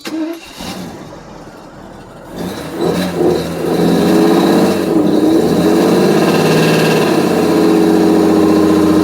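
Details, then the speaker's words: 1992 Mercedes 600SEL V12 on a roughly 100-degree day, no smoke: the engine catches, then runs with an uneven, wavering beat and won't stay running well; it runs on cold start but idles near 230 rpm. Cause not confirmed. "If I can get this thing to stay running. No, I can't, because on cold start it actually runs, but come on, bro."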